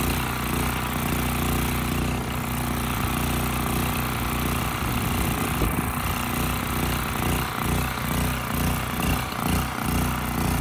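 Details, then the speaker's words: Westinghouse 7,000-watt generator with rusted gas tank and gummed carburetor: rough, wavering beat with speed rising and falling every second or so, won't settle; kept on choke to reduce surge, frequency about 75–80 Hz. Carburetor suspected. "Carburetor isn't doing exactly the best job. I did have to keep it choked to kind of get rid of that surge."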